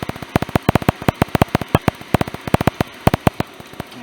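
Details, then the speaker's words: RV gas furnace, not working at 30°F overnight: gas valve opens (sail switch ruled out) but sharp dry uneven clicks with no burner whoosh, no spark. "still smell gas, but not getting any spark."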